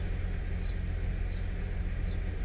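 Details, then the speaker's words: 2006 Ford 500 3.0L at idle: deep rumble with a lumpy uneven beat, misfire mainly on cylinder 1 per scanner, 2 and 3 slightly; shakes at 45–50 mph, tune-up with plugs and coils planned. "right there where the number changes, misfire, and you can feel it shaking."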